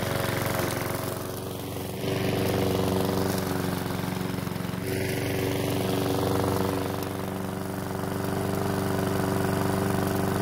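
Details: PowerSmart mower's small single-cylinder engine, refilled with fresh fuel after a hard no-start, settles into a steady even putter with a slight pickup partway through and no misses. It was slow to start but runs fine; oil in the muffler burned off.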